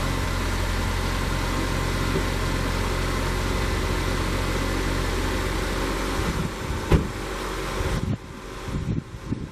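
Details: 2014 Chevy Equinox 2.4-liter after spark plug replacement for stalling on take-off with code P0011: engine settles into smooth, even idle with steady low hum, no stumbling.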